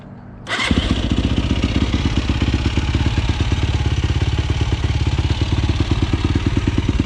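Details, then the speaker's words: 2007 YFZ450 SE single, finished build, jetted well and fast. Quick catch, then steady, even thump at idle with no knocks or misses; run until the fan came on. Healthy. "i got it jetted perfectly it flies it absolutely streams i'll fire it up for you real quick"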